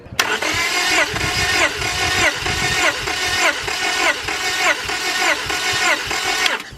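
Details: 5th-gen Honda Prelude BB6 with H22 engine, cranking during a compression test: steady even pulses about one and a half per second; compression about 170, higher than the usual 150, so the engine is healthy.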